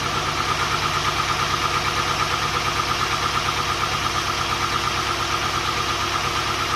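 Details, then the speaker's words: Volvo 240GLE with an LS2 V8 swap on first start after engine reinstall: fast idle with a steady uneven chuff, about two stumbles a second, a dead cylinder. The number 8 coil had been swapped to number 2; pulling that plug changed nothing, and an ignition wiring fault is suspected. "Pulling this plug off made no difference to how the car ran, so I thought maybe there's something to do with this, but when I touched the plug here, the revs changed. So I reckon there's something wrong with this plug."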